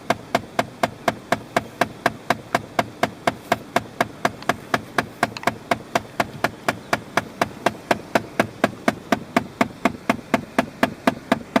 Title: CALHOUN TICKING NOISE